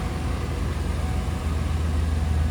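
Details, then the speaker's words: 1995 Hummer H1 civilian wagon, 350 gasoline V8, running barn find, idling in an enclosed building. A deep, even low rumble with no stumbles, ticks or knocks; smooth, with no fuel or coolant leaks. "you don't see a lot of the 350s I said you can hear that it's smooth there's no fuel leaks there's no coolant leaks"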